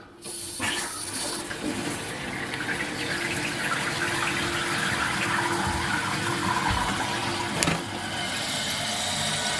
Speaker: and now you're going to see the water flowing from the refill tube if all goes well you're going to start seeing the water filling up along here